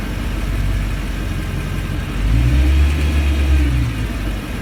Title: Thumping noise with rev